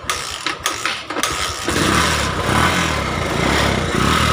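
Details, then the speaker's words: Honda motorcycle that wouldn't start, kick-started: a couple of kick strokes, then steady, even idle without missing; fault traced to the faulty ignition key switch. "teman-teman motornya udah hidup Ya of ya ke Jogja pun tidak mau mati"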